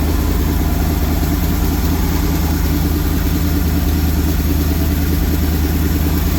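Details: 1974 Lund Tempest II GT jet boat, V8 with 1974 block and electric fuel pump, started after a finicky first attempt: deep, loud, steady burble holding an even idle with no misses or knocks; normal idle.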